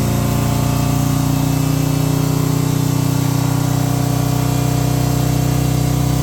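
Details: Harley M8 107ci V-twin just reassembled after S&S oil pump install for sumping issue, first crank: even, deep loping beat with steady low drone and no knocks or ticks; runs smoothly.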